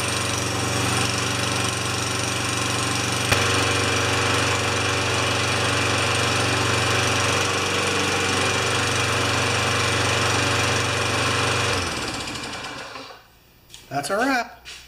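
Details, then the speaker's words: Tecumseh 4HP Yard Machine mower that wouldn't start and only ran for seconds, after linkage checked, fresh gas, muffler refitted, primed six pumps: single cylinder buzzes evenly at steady speed about twelve seconds before shutoff, no surging or stalling; runs great. "just runs great"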